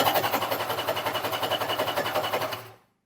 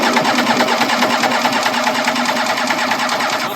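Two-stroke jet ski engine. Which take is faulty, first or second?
first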